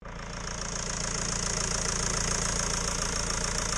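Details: Ford that would not rev past 3000-4000 rpm, diagnostics blaming the throttle pedal; actual cause a debris-clogged air filter, removed and run without it: steady even idle, smooth low drone with slight hiss, no stumbles, no error codes.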